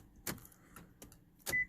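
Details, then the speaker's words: 2007 Hyundai Veracruz after the key fob was programmed: crisp actuator clunks as the power door locks cycle, then two short chirps; the locks work properly. "So now make sure it locks and unlocks. Yep."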